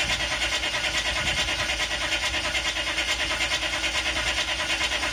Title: CUCV Hard start